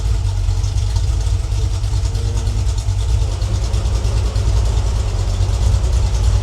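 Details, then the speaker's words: Freshly rebuilt Ford 302 V8 (E-303 roller cam, Edelbrock heads, Holley 600 carb) on its break-in run, temperature under control after burping air: deep, even rumble at about 700–800 rpm idle, no knocks or ticks. Reads slightly rich, and it is running normally. "yeah looks like we got about 700 800 RPM idle I think this Read's a little rich but uh"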